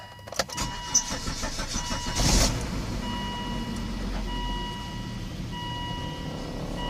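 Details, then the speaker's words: 2002 Volvo S60 2.4T five-cylinder turbo, first start after spark plug change; short crank, catches cleanly and settles to smooth, even idle under dash chime; normal start and idle. "sounds like the turbo is working so the engine starts so that's a good sign think we're running good"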